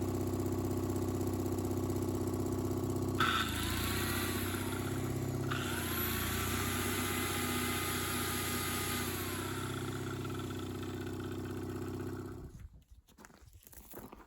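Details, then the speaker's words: Miller AEAD 200LE gasoline welder-generator, first start after about 15 years sitting, after carb clean and fresh gas: catches quickly, steady even drone holding through brief load change in generator mode, shuts off cleanly. "So we just put the ignition on and starts right back up."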